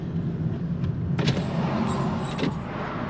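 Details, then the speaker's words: 2013 Toyota Corolla, after a previous repair, driven at low speed over bumps: two dull clunks from the left front, typical of a worn strut mount. "hey you guys hear those uh I can hear the clunky clunks on the left front"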